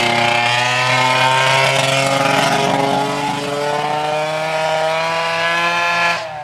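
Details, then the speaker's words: Arctic Cat ZL600 EFI two-stroke snowmobile revved high for testing with muffler removed, very loud: raspy note sags in pitch midway and struggles to pull cleanly, bogging under throttle; owners suspect the intake boots. "all right so we really we think it's the intake boots i mean it's got to be them"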